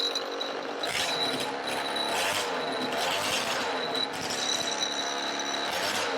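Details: Roughly 20-year-old 50cc two-stroke mini moto engine, exhaust temporarily held on with elastic bands and a cable tie: crisp, buzzy note rising and falling in quick blips with each throttle stab; runs and revs cleanly.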